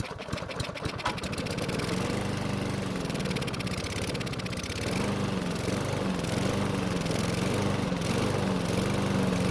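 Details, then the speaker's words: Free Lawn Boy mower that wouldn't start, carburetor manually primed because the choke flap opened after the first pull: catches roughly with ragged, uneven firing, then steadies after a few seconds; a slight carburetor blockage cleared itself. "So the engine struggled to start and run, but it cleaned up after a few seconds and it seemed to be running just fine. It appears we were able to clear a slight blockage that was forming inside the carburetor, so we definitely got lucky on that one."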